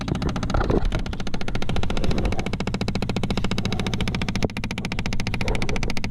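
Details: Chevy Impala/Malibu, rapid steady clicking from behind the dash, about ten a second, when the HVAC is switched on: failing air door actuator slipping its gear, replaced.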